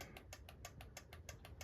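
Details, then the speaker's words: Husqvarna T540 MK III, 136 hours run time, 1500 starts: engine stopped during auto test, quiet crisp clicks about six per second from the carburetor solenoid cycling normally. "Hear that? That is the clicking noise of the solenoid."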